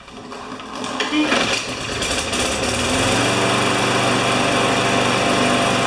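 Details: Newer Briggs & Stratton pushrod mower with plastic carburetor that had been starting then stalling. It catches on a pull and settles to a steady, even high-pitched drone with no surging: runs normally.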